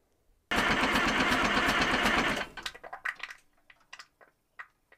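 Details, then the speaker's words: Detroit Diesel 3-53 in Dynahoe 160 backhoe, first start after out-of-frame rebuild: cranking chatter stops, then wet pops and oozing as the blower (airbox) gasket blows out, spilling oil. "you can hear a popping and oozing sound when the blower gasket blew out"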